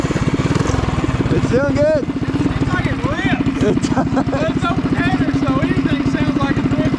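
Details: Trail Master MB200 mini bike, stage 3 223cc single, after swapping rubber engine-cradle bushings for metal slug bushings: steady buzz under power with no chain slap or skipping; before, the chain skipped badly. Normal.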